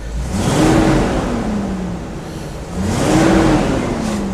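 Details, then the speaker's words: 1975 GMC motorhome after installing headers; two smooth throttle blips rising and falling evenly, no tick or rattle; the earlier little "hoody" noise is gone and it starts easily. "you can't hear that that noise anymore that little hoody sound how easily the startup is"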